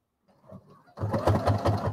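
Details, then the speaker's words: Brother HC3010 sewing machine sewing over-thick layered fabric: about five heavy, labouring thunks a second as the needle punches down; the thunk is the needle forcing through fabric that is simply too thick. "Yeah, you hear the thunk? It's just too thick. Now that thunk is the sound of the needle going through."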